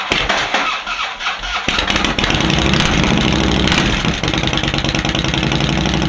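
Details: Harley-Davidson V-twin, first start of the season after battery charging, using a direct starter button to bypass the starter click problem: brief quiet crank, then it catches into a steady, lumpy beat; starts and runs normally.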